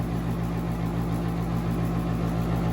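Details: Central AC outdoor unit in Woodbury, New York: a steady low motor hum with no pause or click, never cycling off. Single-pole contactor stuck closed ran it over a long holiday weekend; a refrigeration issue is also suspected, gauges showing no pressure.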